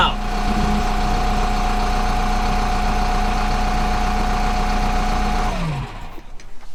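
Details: Kubota M15GX diesel after engine rebuild, just after first start: settles into a steady, even idle with a firm low chug and no knocks or rattles; oil pressure light out; running healthy.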